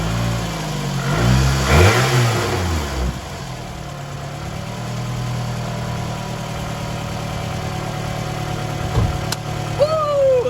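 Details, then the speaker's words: Car restarted after sitting a little over 2 months, with fresh oil and transmission fluid and the throttle body disconnected with the battery on. It catches, revs unevenly and lumpy, then settles to a slightly unsteady idle. Rough at first; cause unconfirmed. "Yeah, it sounded a little bit rough at first, but it's just like I said, the car's been sitting for like a little bit over 2 months."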